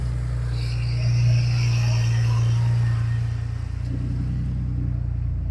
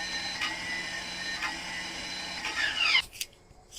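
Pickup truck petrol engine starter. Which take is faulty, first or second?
second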